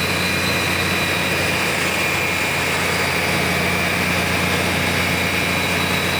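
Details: BUCKETMOUTH forestry mulcher/stump grinder, 1.2 m wide, 1.7 m high drum over 6 tonnes, after startup at full revolution; steady loud whirring with high whine over low engine drone, holding even; drum running smoothly at speed.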